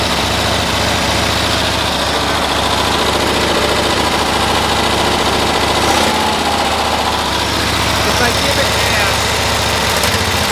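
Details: 1972 Cushman Truckster with new coils and resistor, air filter off, spark testers in: runs same, uneven stumbling beat misfiring around 3000 rpm, not winding up fully.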